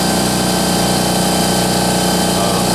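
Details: Harbor Freight Central Pneumatic 10-gallon or Home Depot Husky 30-gallon home-garage air compressor filling its tank: loud, even buzzing drone with a steady low pulse and no knocks or squeals. Normal running.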